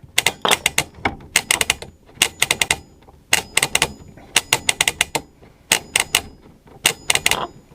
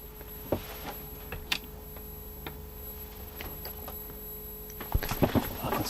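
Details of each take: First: Early 1980s AWA/Thorn 38T1 colour CRT TV on a Mitsubishi Q chassis, rotary tuner just cleaned with switch-cleaner lubricant: bursts of crisp clicks as the knob is spun through positions, clean detents with no scratchiness; tuner working normally. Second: Early-1980s AWA/Thorn 38T1 CRT TV, Mitsubishi Q chassis, after servicing: thin steady high-pitched squeal from the horizontal section over a quiet hum, with handling clicks; also some buzz from the yoke's vertical side.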